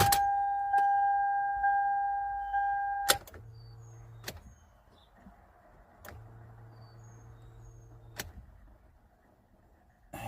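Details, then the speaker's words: 2005 Toyota Sienna, starter replaced two months earlier: key-on chime and fuel pump hums, good battery, but no click or cranking at all; new starter failed, no crank no click. "It sounds like fuel pump's coming on. It's making all the right noises except the starter is doing nothing. Not even getting a click."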